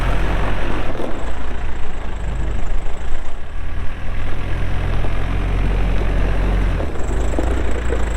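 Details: 2007 Case 580M Series 2 backhoe, 4WD, Extendahoe, pre-emissions diesel, 3,812 hours: steady deep diesel rumble holding even beat as hydraulics work, no knocks or misses; hydraulics strong, normal running under load.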